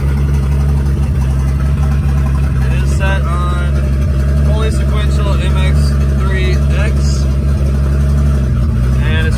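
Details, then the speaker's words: Datsun 280ZX just converted to sequential fuel injection on MegaSquirt with a new optical trigger wheel, tune not yet adjusted; fuel pump runs constantly. Steady low engine drone with a slight rev, no misses or knocks: runs cleanly. "that's running on sequential fuel injection so that's pretty awesome"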